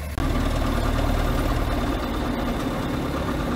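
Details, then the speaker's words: John Deere 6000 highboy sprayer diesel, restarted after running out of fuel and bleeding the fuel filter: settles into a steady, even idle right after catching, with no stumbling or hunting; running normally. "well luckily all we had to do is bleed the fuel filter out and start it up"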